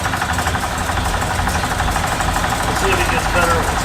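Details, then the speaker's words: Parked Ford Ranchero, engine running cold with AC on while charging four cans of refrigerant into a remanufactured compressor: an uneven chattering rattle rides over the idle. Noisy AC compressor, cause unclear. "The pump's pretty noisy. It was a remand, so we'll see."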